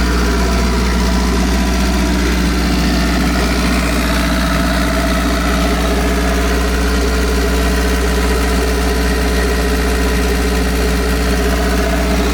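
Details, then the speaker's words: Honda CB9 Accord Wagon, turbocharged, after new crankshaft and new turbo fitted and exhaust rewrapped in heat wrap; steady low even idle, smooth deep hum, no knocks or leaks, sounds healthy before test drive. "no leaks and it sounds good let's take this thing for a little test"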